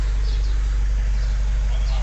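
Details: Vauxhall Vivaro diesel van, previously a no-start after a clutch replacement, idling after a temporary fuse fix with only the add-on heater relay 1 code remaining: a steady, even low clatter with no misses.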